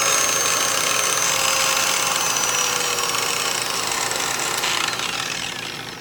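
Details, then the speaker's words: VViViD REV 6-inch random orbital polisher/sander, new, spinning free: a smooth, impressively quiet whir with a faint high rasp of slight bearing noise. "I must say that is impressively quiet for what it is you can hear some bearing noise you hear a little bit of bearing noise"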